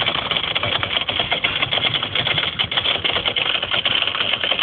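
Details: Whirlpool ADG 7540 dishwasher recorded from underneath: fast, continuous buzzy rattle while it runs, with the right-angled rubber hose and the heater shaking; the pump rattle was solved by replacing the pump.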